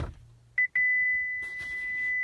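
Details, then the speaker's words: 2012 Chevy Volt after 12-volt battery replacement, power button pressed with brake held: two short high beeps then a steady high chime, no motor response, won't shift into gear or charge; warning beeps, cause unknown. "voice nothing happens a public park nothing happens and then if I had the power button again to like shut it off it does the same thing again so I'm not sure what to do here"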